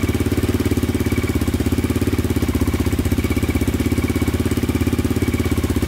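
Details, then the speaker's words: 2002 Yamaha Raptor 660 quad after timing chain and valve replacement, first start with a stronger charger: even, quick single-cylinder thump at steady idle, no knocks or misses; engine idles cleanly. "sounds like it's running pretty good audio is perfect so that's pretty good oh yeah awesome"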